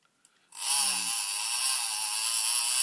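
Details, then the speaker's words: Alutecnos Gorilla 12 fishing reel with the clicker switched on: a steady, loud, high-pitched buzz holds for over two seconds. The clicker is normal, just a slightly different sound from other reels. "yeah it's it's loud so this is a good reel but yeah little bit different sound"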